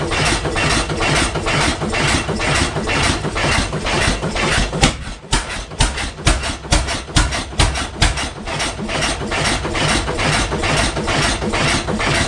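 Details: 1912 12 HP Goold Shapley Muir hit-miss gas engine, first run in about six years, just started: heavy steady bangs about two a second, almost no coasting; definitely running rich, firing nearly every cycle; fuel possibly opened up, or just cold.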